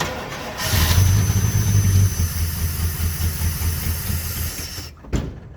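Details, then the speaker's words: 1980 Chevrolet C30 dually with a 350 small-block carbureted V8, first start using a little fuel poured into the carb: brief crank, catches and runs for a few seconds before dying; normal first start. "So that was the first time I've ever seen this thing run, and it sounds okay so far."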